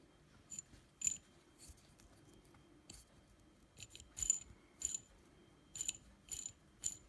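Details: T-Motor F40 Pro 2400kv brushless drone motor spun: short bursts of dry gritty rattling from rough failing bearings, bad from new or after a single battery.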